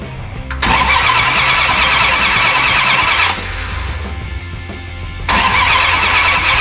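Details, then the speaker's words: 1969 Dodge Charger General Lee, fuel line ripped and no fuel: bursts of cranking with brief sputters that never catch; cranks but won't start, no fuel. "need more gas. Damn, I ripped the fuel line. Damn, there's no fuel. I need some more fuel."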